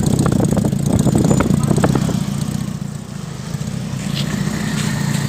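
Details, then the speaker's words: Restored 1980 Toyota Kijang KF-10 pick-up at the exhaust: steady, even low-rumble idle with no misses or knocks, and no white or black smoke; engine running normally. "Ini enggak nih, gak ada ngasep putih, gak ada ngasep hitam. Semuanya normal, lancar."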